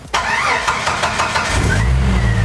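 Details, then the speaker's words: 1992 Jeep Wrangler YJ 4.0L after engine rebuild and TDC/distributor reinstall, sat a long time; second start: brief crank, catches within a second, settles to smooth even idle. Normal quick start. "but I think we'll start it up here again just so you can see how it fires right up."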